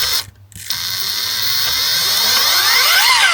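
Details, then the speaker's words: Align Trex 470 helicopter on the bench, main gear turned by hand: quick, fairly even ticking about four clicks a second over a light whir from a damaged tooth on the main gear, which is shot and will be replaced. "Can you hear it? Click, click, click. It's knackered. Oh, there it is. There's a knackered bit."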